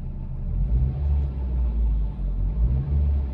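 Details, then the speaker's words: Hyundai Coupé unused about 2 years, restarted with repaired ECU and BCM after an initial misfire: deep, even rumble rising and easing with light throttle blips to about 2000 rpm, smooth with no knocks or misses; healthy revving. "Le moteur tourne, vous l'entendez. Je ne vais pas non plus le faire monter en zone rouge, mais..."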